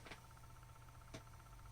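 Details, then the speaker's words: Quiet, even clacking over a soft fan whir from a fan in a Synology DS118 at a very slow speed setting; rattle much quieter than before, NAS still detects the fan running. "Well, you can still hear the clacking, but it's a lot quieter than it used to be, or was previously, so yeah, I'll play around with the different RPMs and see how she performs."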